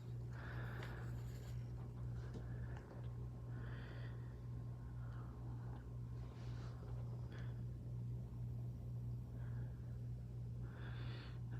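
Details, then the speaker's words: ZHIYUN Smooth 4 gimbal, after two trips: steady low buzzing/vibrating hum the whole time it is powered, with constant shaking; owner suspects a motor bearing, unconfirmed; stops when switched off. "so turning it on you can hear that noise that vibrating noise and I believe it seems to coming from back at the bearing here right there"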